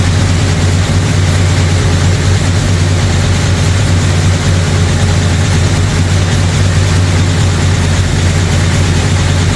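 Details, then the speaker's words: Brand-new 445 stroker FE V8 in a 1962 Ford Galaxie on its first break-in run. Deep, lumpy idle with a faint light clatter on top: a lifter or two ticking and needing adjustment. Timing also needs adjusting; oil pressure and water temperature are good. "obviously need some timing adjustment but all in all runs pretty good I can hear a lifter or two clading they'll need to be adjusted"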